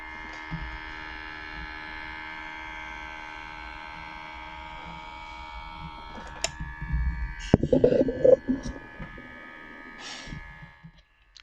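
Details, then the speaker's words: HP Pavilion x360 13 series laptop: steady, harsh electric-sounding buzz from the failing cooling fan, which is to be replaced. "hi friends you can hear this terrible sound coming out from my laptop this is the sound of cooling fan"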